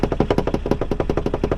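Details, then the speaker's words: 1979 VW Rabbit diesel at idle with hand off the steering wheel: an even clatter of about nine beats a second with a shaky buzz on each pulse, from a steering column bearing that slid down and needs sliding back up. "because if I take my hand off of the steering wheel, I'm sure you guys hear that vibration. The bearing actually slid down. It's something I just have to slide back up."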